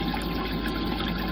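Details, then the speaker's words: Old Rule 3700 pump just installed, switched on: steady even hum with water rushing through, no surging or rattle; running healthy and flowing strong. "so there you have it this is the rule 3700 you see how old this pump is regardless so um as you can see it's flowing flowing strong too so we got the pump working just pumping the water through"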